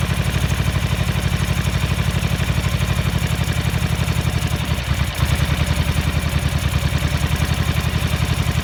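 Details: 1983 Ducati MHR bevel-drive twin, 40mm Dellorto carburettors during balancing at relatively high idle: lumpy, loping idle with irregular beat and a midway stumble, like one cylinder barely firing; carbs out of balance.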